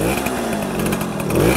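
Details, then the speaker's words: 1966 Harley-Davidson Aermacchi M50S two-stroke, fuel shut off; owner suspects rich running and a need for a smaller low-speed jet, pilot screw nearly fully in: uneven, wavering burble at idle; rough idle. "and it it maybe needs a low a lower a smaller low speed jet because my pilot is all the way pretty much screwed in to get it best"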